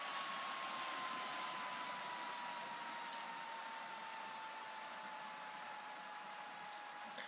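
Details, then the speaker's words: HP Pavilion G7 laptop after blowing out the dust: steady airy fan rush with a thin whine slowly dropping in pitch, normal for this model and present since purchase; the whine gets much worse with dust inside. "now the fan is whining but that is uh it was like that when I bought it like that's just what the fans on these sound like but the whining will get you know a lot worse when there's dust inside"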